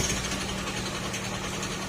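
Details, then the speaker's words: Old Honda Scoopy carb-type scooter idling with a rapid sewing-machine-like clatter from the engine; connecting rod or crankshaft assembly damage, needing an engine overhaul. "Kasi ang problema niyan mga sir ay connecting rod or segunyal assembly ang problema."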